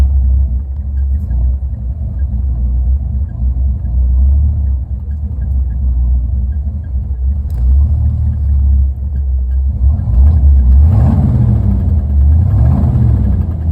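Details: Deep, uneven rumbling idle with a lumpy, irregular beat and surging in the low end; the engine is running rough, cause unclear.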